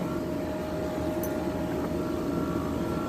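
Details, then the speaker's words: 12,000 BTU Frigidaire window air conditioner with an LG compressor, just repaired, running outdoors under a heavy heat load in hot weather. A loud, constant droning mid-pitch hum with no knocks. The compressor is noisy but working normally, as is typical of LG units. "These LG compressors, they're really noisy. They're not quiet by any means. That compressor sounds quite frightful, but it seems to be working."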